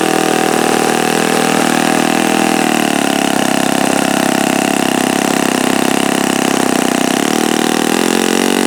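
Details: Repaired OS FS-48 Surpass four-stroke (repaired blown-out crankcase) on stand, seeking peak RPM with the given prop: shrill, even high-rev buzz with a slight pitch shift as the mixture is trimmed richer after knocking; no bearing rattle. Normal running.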